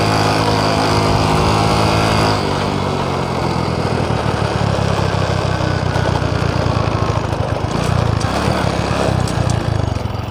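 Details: Honda Supra X 125 climbing at full throttle in 2nd gear, only 60–70 km/h: engine screams at high steady revs before the bike moves, loud but slow, pitch not building with real pull; slipping clutch, blamed on the clutch housing.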